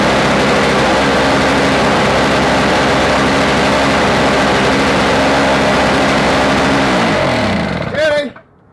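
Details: Toro 17-inch two-stroke snow thrower after swapping in an engine from an old Snapper, first pull start after reassembly; steady, even two-stroke buzz without stumbling or misfire, then winds down and shuts off: healthy running.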